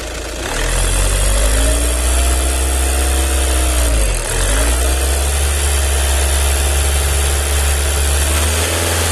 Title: Strange noise combustibile pump vw 2.0 tdi cr